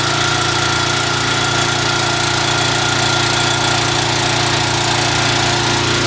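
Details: Small engine on a HIPA dual-fuel propane carburetor, gasoline drained and propane purged before starting, runs with a steady even drone of constant pitch, no misses or surging; normal running on propane.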